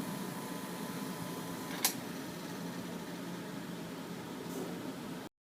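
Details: Camel PSIF-16 (55W) electric fan, repaired for noise when spinning (worn shaft, bushing and capacitor replacement): soft, even airy hush with no rattle or scraping, one small click; the fan spins quietly and smoothly.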